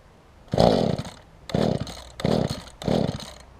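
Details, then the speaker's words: Mantis tiller two-stroke engine during carburetor low/high adjustment. Catches in short ragged bursts of about half a second, dying back between each and never settling into a steady run; rough running, the adjustment didn't help. "Whatever I did there didn't work very well, I know that."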